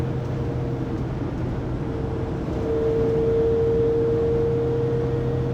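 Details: 2020 Pleasure Way Plateau FL (2019 Sprinter 3500XD) at 80-90 km/h, recorded by phone after driveshaft and differential replacement: a loud steady mid-pitched whine over road rumble that swells midway. Drivetrain whine, source not found.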